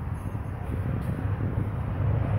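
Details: 2008 Ford Taurus X at low idle with an uneven, loping beat as cylinder 1 (rear bank) drops out; injector pulse code, noid light shows no control signal, control wire (pin 52) not carrying signal to injector.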